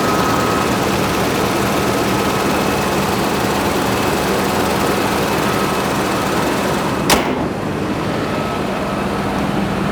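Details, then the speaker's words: 1991 Toyota Land Cruiser 3FE engine at high idle after valve adjustment, new intake boot and alternator tightened: steady even hum with faint constant whine and no top-end tapping, no longer rattling; normal idle. "hopefully now now it's going to be nice and quiet not the Rattle Trap it was when we started let's see what we get nope sounds good from here high idle is looking"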